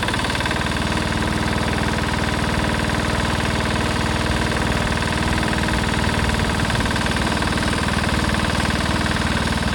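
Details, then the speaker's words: 1970s Sears Suburban SS16 garden tractor swapped to a Lombardini diesel, in third gear high climbing a hill: heavy, slow thumping that won't pick up, engine bogging under load; owner may raise the RPM. "you could hear it in third gear really bogging third gear High really bogging on that Hill pulled up it in second"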